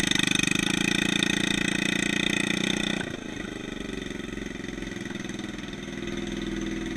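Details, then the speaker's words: Yerf Dog 150cc shifter kart on its first test drive (temporary oversized wheels): buzzy, high-revving single with a slightly ragged beat that drops off midway and never smooths out. The engine is audibly running lean. "let's take this thing for a test drive so so so foreign you can really hear how it's running lean foreign"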